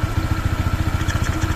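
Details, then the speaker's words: Honda PCX 160 scooter, new and not yet broken in, idling with a pulse near 8 beats a second and a thin, steady high whistle from underneath; source unknown, and the owner also suspects a loose belt. "tapos ano pa ba meron siyang parang sumisipol sa ilalim"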